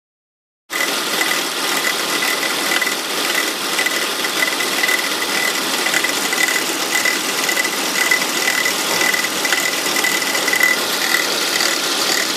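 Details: 2002 Volvo S80 2.3T, cold morning start: fast ratchet-like clicking about two per second over a hiss, gone after about an hour of driving; workshop diagnosed a bad alternator pulley, and replacing it fixed it.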